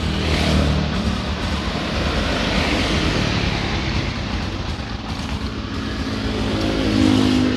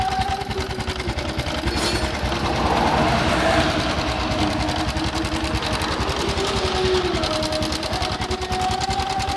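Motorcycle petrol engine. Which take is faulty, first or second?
second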